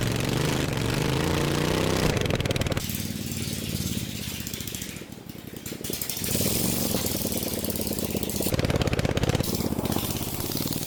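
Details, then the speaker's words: Racing lawn mower after a 2.4-hour race, repaired cracked frame and steering, test ride without exhaust or hood; loud, raw rapid firing from an open pipe, pitch rising and falling with throttle, clean and strong with no knocks; engine healthy. "That's definitely really quick, but I barely have steering at all and I drove without exhaust. It's 9:00 in the evening. I don't want to be that annoying, so I'm going to stop now. But the motor is definitely okay."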